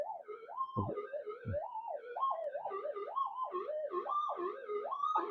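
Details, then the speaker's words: Minelab GPZ-7000 metal detector indoors, in noise cancel with power supply circuitry shielded: loud warbling wail sweeping in pitch several times a second, screaming from room interference; the owner suspects AC harmonics, not confirmed. "I remember when it gets towards the end there, it starts screaming like crazy. So it must be where all the harmonics of AC lie or"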